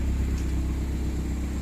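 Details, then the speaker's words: Automatic-transmission engine converted to carburetor and distributor after its computer box went missing and it sat about 3 years: low steady rumble with even beat, no misses or stumbles; idling smoothly. "Smooth ang andar."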